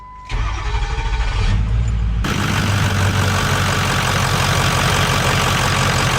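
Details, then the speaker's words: 6.0L Powerstroke diesel truck after installing a SPELAB intercooler pipe to fix a boost leak. Cranks briefly, starts cleanly and settles into an even idle clatter with no hiss from the boost side: normal start and idle. "It sounds a lot better [Music] [Music] though. Wow. There's no boost leak at all anymore."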